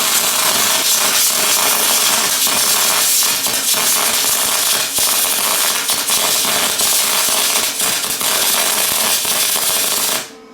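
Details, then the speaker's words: Lincoln 210MP MIG welder on higher-argon gas mix, wire feed dropped to 340 in/min: steady crackling, sputtery frying with irregular pops, never a smooth spray hiss; runs nicely but stays in short-circuit transfer. "spray Ed does not want to spray going drop it down to 340 see what happens still no spray it's running really nice but it's not it's not a spray AR"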